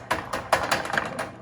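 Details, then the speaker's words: John Deere/Brinly 42" lawn sweeper: sharp, dry clicks about four times a second from the wheel drive while the brushes don't turn, so patches of grass are missed; cause found in the plastic gear behind the wheel cover. "that clicking, and obviously nothing's turning."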